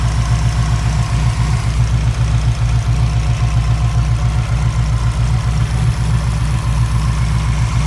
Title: Wanbro 400 l/h in Subaru WRX many pulsation engine error misfire and TIC rail